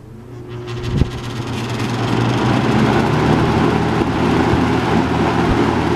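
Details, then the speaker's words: Robeson box fan model 2306, three-speed, 2.4 A motor with surface rust on motor bars, switched on at high: a click, then low motor hum and rushing air building to a steady, good airflow; normal operation on high. "there's a pretty good amount of air"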